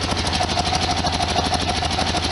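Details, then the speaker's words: 1973 VW Super Beetle air-cooled engine after valve cover gaskets and oil and filter change, some idle problems fixed: steady, even idle with light regular valve-train clatter, no misses; slight leak on one side; normal idle. "looks okay down there he's leaking on the other side not too much noise coming out fantastic"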